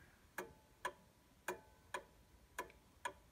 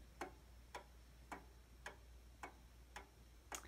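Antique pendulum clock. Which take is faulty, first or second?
first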